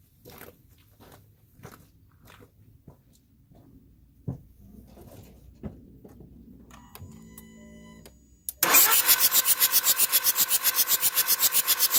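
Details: 2004 VW Jetta TDI diesel, morning no-start that only starts with WD-40: faint clicks, then the starter churns steadily at about four turns a second and the diesel never catches; extended cranking, no start.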